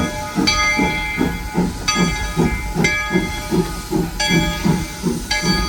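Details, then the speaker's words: SoundTraxx-equipped model steam locomotive at speed step 15 with dynamic exhaust: steady, even chuffs about two or three a second over constant steam hiss, four per wheel revolution; normal exhaust beat. "So you can start to hear that 4-chuff pattern. Chuff, chuff, chuff, chuff. It's a very distinct pattern, and it is something that is very evident on steam locomotives, as evidenced by some of these videos here."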